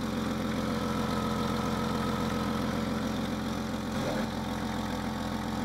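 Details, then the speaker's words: Jeep Cherokee XJ 4.0 L engine, about 190,000 miles, idling after a distributor replacement: dull, uneven tock-tock knock about two or three a second, not the exhaust; owner suspects a slack timing chain, or possibly piston slap, unconfirmed. "Hear that rattling? That knocking noise? Not the exhaust, that tock tock tock. That's very likely the cut chain having too much slack. Or it's piston slump, I don't know."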